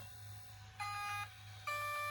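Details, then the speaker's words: GoolRC cheap brushless ESC and motor combo, transmitter turned on first: two short clean electronic beeps half a second apart at power-up, the normal startup tones after fixing the fault. "and that's what you should hear when you turn it on"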